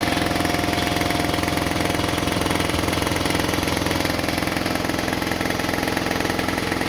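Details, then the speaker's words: About 20-year-old air compressor with a brand new replacement motor, which would not restart with air in the tank. After maintenance it is plugged in and gives a fast, even pumping thump of about 3.5 per second, a small puff of air and no leaking: normal running. "well that's good I got the little puff of air coming out of it no leaking which is good"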